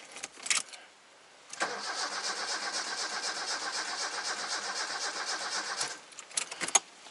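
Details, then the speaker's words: Toyota 4A-FE car that previously ran fine, battery good: even cranking about four seconds without catching; crank-no-start with no spark, distributor almost certainly at fault. "We've got a non-starter. So when you've got a car that won't start, that was otherwise running just fine previously, which this one was, you're going to have a couple of conditions that are not being met."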